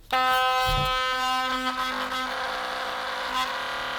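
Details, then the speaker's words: Philips Sonicare DiamondClean HX9340 electric toothbrush running noisier than before: loud, harsh buzz with a rattly edge, vibrating loosely; a small screw inside on the drive rod has vibrated loose. "And the problem with it is, it's vibrating loudly here, it's gone loose."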